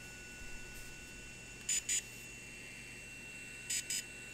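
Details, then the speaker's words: DJI Phantom 3 Professional gimbal after tightening a loose brace that caused shaking and grinding clicking: faint steady high whine and two pairs of short beeps, no grinding; normal gimbal startup. "so as you can see we turn it back on the gimbals not making all those weird noises and it seems to be functioning perfectly"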